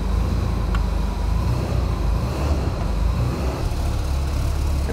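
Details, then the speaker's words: Newly acquired Porsche 930 on first start after fuel pump priming: low steady rumble that never rises, engine runs but has absolutely no throttle response. "I mean it's good absolutely no throttle response"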